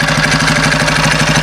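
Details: Homemade motorbike, 120cc Honda GX single with GTC TC2 CVT, lower-restriction exhaust, remotely adjustable main jet, first drive: steady, slightly lumpy, soft low beat with no crisp firing; running really rich.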